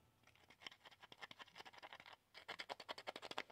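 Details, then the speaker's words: Speaker from a 1966 Admiral PG919 vacuum-tube black-and-white TV: dry, papery scratching with each push of the cone, as the voice coil rubs and pinches in its gap because of warpage. "yeah I figure if I can get the speaker out I might be able to correct the problem with the uh voice coil rubbing at least that's my Hope anyway"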